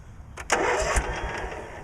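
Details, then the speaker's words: Cub Cadet 1862 lawn tractor on premium gas with Seafoam: the starter spins it briefly with a few uneven chugs that fade without catching, so it cranks but won't start. Owner suspects flooding or the seat switch not pressed hard enough. "come on might be flooded"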